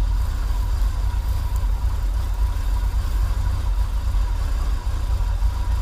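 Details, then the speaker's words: 1980s Chevy K30 dually 4x4 dump truck, long parked, warming up after cold start on pretty old gas; low steady idle rumble, no misses, ticks or knocks, settling evenly; normal idle. "not too bad especially because that's pretty old gas but she's running idling good"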